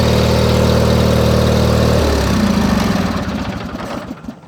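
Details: 1989 John Deere 318 garden tractor idling in the garage, known to blow some smoke: even, fast-beating idle at about four beats a second with no misses, then winds down and stops; engine runs healthy.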